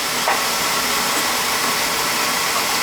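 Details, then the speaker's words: Beckett oil burner that sometimes hesitated and started rough, after adjustments and a new nozzle (old one possibly not spraying right; old spark still good): even, steady roaring hiss with no puffing or hesitation, now starting and firing smoothly, normal operation. "We just made some adjustments on it and new nozzle. Hey, that's all it was. It's starting up nice now, so."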